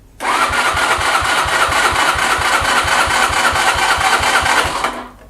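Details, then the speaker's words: Mash Fifty motorcycle with a brand-new Lifan 50cc replacement engine, dry-cranked on the electric starter with the spark plug disconnected to check the starter and get oil to the head: steady whir with even compression pulses about twice a second, no odd noises. "So I want to give it a dry start without the spark plug connected, so I can have the engine run over, see if the starter works, and if I hear any odd noises."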